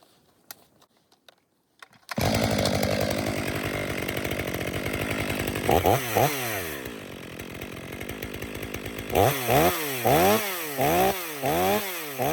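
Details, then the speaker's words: Stihl MS 500i after repair of a weak fuel pump symptom, warmed up, calibration cuts in frozen wood: crisp high revs dip rhythmically with each cut and recover cleanly; normal cutting under load. "Warm it up for a minute, then do five uniform cuts."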